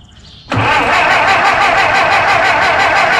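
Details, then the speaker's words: 1925 Ford Model T C Cab with distributor conversion, unrun for a couple years, touchy ignition key: hiss then even chuffing about three beats a second, cranking without firing; fuel tank found completely empty. "then we popped open the gas tank and it is completely empty which is fine so we're filling that up"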